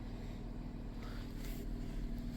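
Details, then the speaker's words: 2000 Chrysler Grand Voyager SE (third-gen Caravan), first start after about 8 years parked in a swamp, warmed up: smooth, even low purr and hum at idle with no knocks or misses, a normal warm idle. "Listen to that thing purr. That is unreal."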